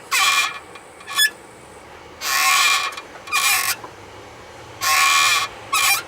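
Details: Mitsubishi Lancer X brakes squeal in repeated short high-pitched bursts with each stop, mainly when hot after a drive, not when cold; braking is normal and the steering doesn't pull; cause unknown.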